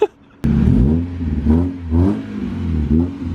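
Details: Car revving hard through the gears with a rough, raspy exhaust note rising and falling; bystander says it has an exhaust leak.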